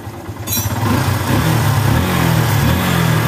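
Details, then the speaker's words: Yamaha Bison that backfired on deceleration, after plugging the hose from the head to the emission device and the intake manifold hose: steady, even idle with no popping; fixed. "dan sembuh ya Enggak nembak-nembak [Tepuk tangan] lagi"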